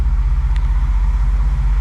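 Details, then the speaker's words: BMW E28 M5 with freshly rebuilt engine, first start after fuel pump came on; steady even idle with smooth low pulse, no knocks or ticks, dash warnings clear; normal idle. "it's [Applause] alive it's alive everything's good on the [Music] dash sounding"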